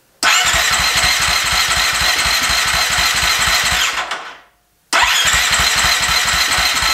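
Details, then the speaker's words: Husqvarna FE350 converted to FE 366, first start after a full rebuild: electric starter cranks in even pulses, about four a second, in two bursts that never catch. The spark plug wire was not fully seated on the plug. "Alright, so we found out that the spark plug wire was not all the way on the spark plug, so we put it in and see how it goes now."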